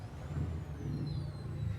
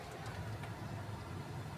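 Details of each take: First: Car stereo picks up a thin high whine that rises and falls with engine speed over the idle rumble once the engine starts; silent with engine off; alternator/engine noise entering the audio signal path. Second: City car with aftermarket audio system after fixing engine noise in speakers (new wiring, high-input box added): low steady idle with revving, no whine, buzz or hiss through speakers; normal car audio at idle after repair.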